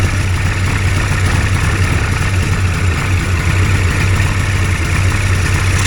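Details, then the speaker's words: Hurricane hovercraft's Ski-Doo-style engine after a new coil and carb float level set to 24 mm, warming up with coolant around 38–49 degrees: loud, steady drone with no misses or knocks, running properly. "Anyhow, I'll leave it for a bit. That seems to run pretty good."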